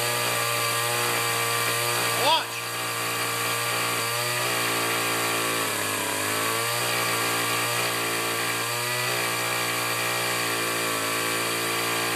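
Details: Two-stroke weed trimmer, primed, started on full choke, runs poorly despite carb adjustments: high buzz whose pitch sags and recovers every few seconds instead of holding steady; uneven running.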